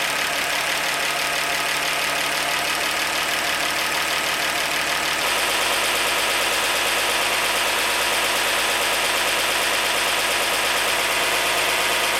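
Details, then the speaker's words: 1948 Chevy 216 inline-six, first start since 1989 after valve adjustment; vacuum a little low, owner suspects carburetor or intake bolts: steady, even idle with a soft regular pulse, no knock or miss; normal idle. "would you listen to that thing i'm a little low on vacuum so i'll have to look around and recheck my bolts on my carburetor and my intake but man she's just purring away"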